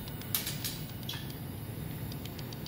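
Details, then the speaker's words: ÄKTA system M9 mixer making a clicking sound; something inside appears to be hitting against the moving part, a black patch seen inside suspected. Faint sharp clicks at uneven intervals over low hum; cause suspected, not confirmed. "you can you just camera there and you get that sound it's just hitting against okay"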